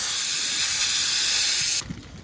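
Loud steady hiss of escaping air that cuts off abruptly near the end as the plug seals the punctured tyre.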